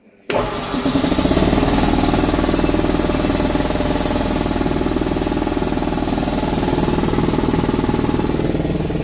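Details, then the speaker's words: Repaired air compressor on original wiring, with contact cleaner on the contactor or relay suspected as the fix: it starts instantly and holds a steady, even chug of about four pulses a second, pumping air normally. "there is air coming on it's alive"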